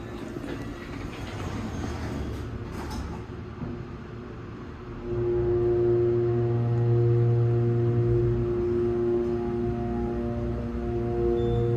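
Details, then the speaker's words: MEI/Schindler elevator motor starting: loud steady low hum with whining tone, much louder than a couple of months earlier when newly installed. "The motor on this elevator has gotten louder. This is an MEI/Schindler. Alright, let's listen to this motor. Listen to how loud this is."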